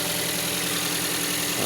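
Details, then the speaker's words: Toyota Vios idling after a battery replacement and throttle body cleaning: smooth and even, with no misfire or shake. The earlier rough running was a dirty throttle body while the ECU relearned after the battery was disconnected. "Ayan oh. Wala nang nginig. Okay na."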